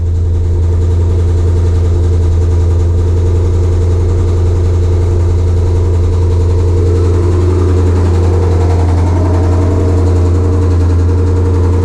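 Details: 2020 Shelby GT500 Mustang V8 with a newly installed Whipple 3.8 supercharger, idling on its first run after the install as it warms toward operating temperature: deep, smooth, evenly paced idle with a faint supercharger hum and no ticks or rattles. Normal idle.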